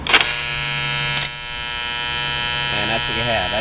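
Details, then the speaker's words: Fairly new battery charger transformer plugged in: a loud, steady, harsh, rattly buzz from core plates that have delaminated, warped and loosened despite being welded. Clamping the plates quiets it. "Transformer that vibrates and hums because of the plates delaminating warping a little bit out of position loosening up we're going to try to fix it all right talk to you later"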